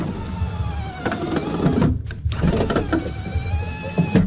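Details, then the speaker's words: 1989 Dodge Ramcharger with replaced power window motors, driver side tested after install: steady even motor whir running glass up and down, no grinding or strain; normal power window operation. "all right this is the proper orientation so all right driver side up and down works well"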